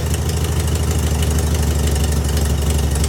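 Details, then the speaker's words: VW Beetle with new Pertronix distributor and coil, timing reading about 7.5: low uneven loping idle, irregular beat about three times a second; owner suspects carburetor adjustment; rough idle, not confirmed. "I think it's the carburetor adjustments. I was messing with them before and they were a pain in the ass."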